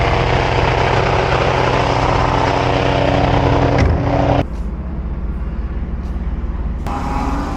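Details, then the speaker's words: BMW F82 M4 radiator fan makes a loud, rough droning whir with a fast pulsing beat that stops when the fan shuts off. It has vibrated for two years, badly since a recent track day; the fan was replaced completely. "So, I need to get my radiator fan fixed. It's been vibrating like crazy."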